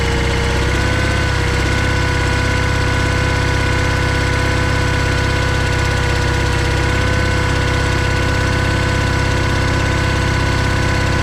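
Steady, even low thrum from the twin with a regular beat and no misses; a healthy engine running normally.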